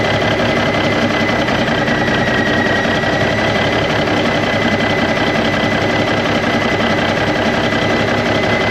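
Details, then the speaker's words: 1991 Freightliner Cummins NTC-365 diesel with throttle lag, fed directly from a fuel bucket bypassing the ECM cooler plate; harsh uneven running with constant high tone, worse than before; gauge reached about 30 revving, cause unconfirmed. "sounds like we made it worse well that's not the direction we want to go"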